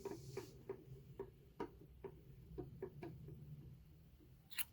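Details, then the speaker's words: 3D-printed rotor build with bifilar coil on first run: soft motor hum with sharp ticks two or three times a second, seemingly from underneath; cause unknown. "i don't know what's causing it to make that sound sounds like it's coming from underneath here"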